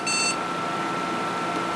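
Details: Athlon XP PC booted from an MS-DOS floppy running the Award BIOS flash utility: one short high beep over steady fan hum, the error signal that the file size doesn't match because a mistyped file name pointed to a nonexistent file.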